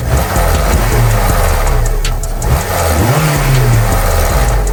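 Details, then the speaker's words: 2006 Honda Civic Si 2.0L, engine revved and released: loose rattle as revs fall, timing chain flapping because the failed tensioner no longer tensions the guide; in for timing chain and tensioner replacement. "And once you hear the car start and we'll rev it up, you'll hear the chain start flapping because the tensioner is not putting tension on the guide."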